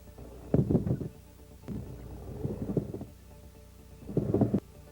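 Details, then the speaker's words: GM power steering training: dull, muffled knocks in three bursts, like a dead shock absorber; mechanical knock from play in tie rods, adjusting nut, rack internal bushings, steering column or flexible joint; worn struts or top mounts can confuse diagnosis. "O ruído de batida ou martelamento também pode ser de origem mecânica, quando o ruído apresenta-se com um som bastante abafado, semelhante ao ruído de um amortecedor da suspensão sem ação."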